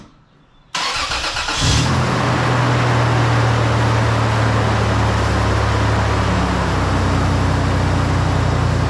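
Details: 1999 Toyota 4Runner (3rd gen), well kept, mechanically sound with new shifter bushings: quick crank, catches at once, then a smooth, steady idle with no knocks or ticks.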